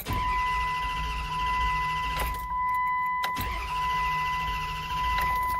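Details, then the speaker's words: 2004-2009 Dodge Durango that won't start: two long bursts of even starter cranking under a steady chime, engine never fires; crank-no-start, TPS throttle position sensor suspected next, not confirmed. "So, right now it's not starting."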